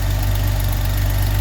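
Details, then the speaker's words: 1979 Opel Monza Series 1 straight six after injector repair: steady, low, even idle with no misses or stumbles, running smoothly; tappets still unadjusted, slight oil burning off, and an exhaust leak from a pinched manifold gasket. "So we've got the Monza outside, driven out under our own steam. It's sounding really nice and smooth."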